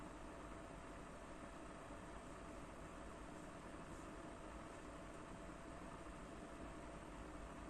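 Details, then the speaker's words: PS4 Pro (first revision) after replacing year-old MX-4 thermal paste with Honeywell PTM7950 phase-change pad: cooling fan starting to spin up slightly yet still very quiet, soft steady airy hiss, no rattle or surging; normal. "Починає трішки набирати оберти, я чую, але все рівно це дуже-дуже тихо."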